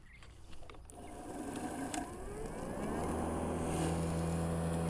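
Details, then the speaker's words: Makita 36 V (2x18 V) cordless lawn mower, power switch on, before load test: motor whine climbs as it spins up, then settles into one smooth steady tone with no rattle; normal running. "all right it's making one tone now"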